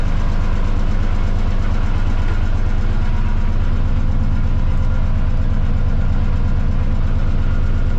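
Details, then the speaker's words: Lifeboat engine test, propeller shifted from neutral into forward gear: steady, even low diesel drone, no knocks or misses; engine running normally in forward. "I-start natin. Subukan natin yung forward. Tumatakbo siya."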